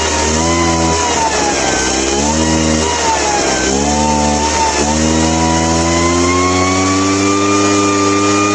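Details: Craftsman backpack leaf blower two-stroke after a carburetor clean (non-adjustable carb), previously dying on throttle: high drone with brief rpm sags and recoveries and a slow rev-up; runs, but still uneven.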